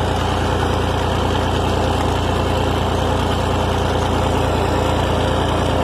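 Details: 1961 Massey Ferguson 35 Deluxe, A3.152 Perkins indirect-injection diesel, pulling a Ford 309 corn planter: a steady, even low chug that holds its beat under load with no knocks or misses, so the engine runs fine.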